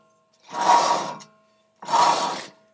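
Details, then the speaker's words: Front hub and bearing assembly spun by hand with rotor removed to exclude brake drag: each spin gives a harsh, gritty rasp fading as it slows; worn wheel bearing. "now that we have the rotor off and we have the hub and bearing assembly isolated now we can spin this and we know that we won't have any brake drag creating noise and you can hear how terrible this sounds"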